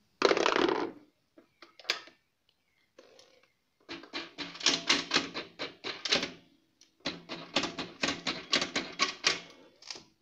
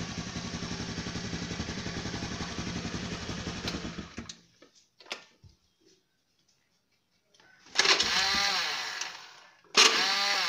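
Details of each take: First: Honda Beat scooter hard to start: bursts of rapid dry clicking, several per second, no cranking; for Beat and carburetted Vario usually the starter relay system in the CDI is faulty, not battery or bendix. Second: Honda Beat scooter after bypassing the CDI starter relay with a jumper wired to the battery: small single-cylinder engine starts and idles at a steady even beat, then shuts off, confirming the CDI relay was faulty.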